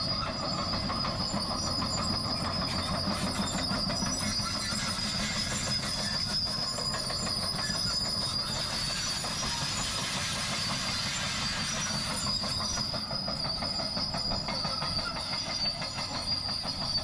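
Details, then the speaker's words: Cat bulldozer working: steady piercing metallic squeal over deep engine rumble from a failing track roller; replacement rollers on order. "And the old cat has got a roller going bad, so it's about to get loud when we get close to her. You can, I'm sure, hear it squealing now. We got some rollers on order."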